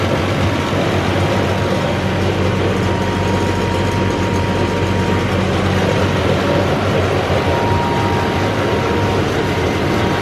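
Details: Massey Ferguson 40 diesel combine, about 1996, sat 3 years, revived after fuel system bleeding: steady even low drone with no knocks or misses, running on its tank, slightly smoky, probably from disuse; normal diesel running.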